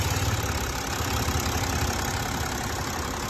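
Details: BMW X6 diesel after CAS module repair fixed a no-crank no-start fault (A0C1, terminal 50), just started: steady diesel clatter at an even idle with no misses, stumbles or odd knocks; running normally.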